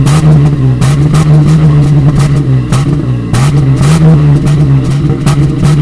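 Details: 1988 Toyota FJ62 Land Cruiser after fitting new stainless steel exhaust: deep, even burble rising and falling with throttle blips, no rattles or leaks; healthy exhaust note.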